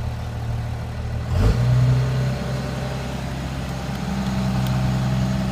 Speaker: as you can see it's all them up at around 12200 RPM and then to shut it off you simply just flick one of the switches off that's it